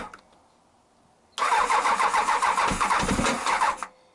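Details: Honda CBR1000F previously firing on only three cylinders (number two pipe cold): quiet at first, then it catches at once and settles into an even, steady idle, with an oil leak still present. Normal idle after start.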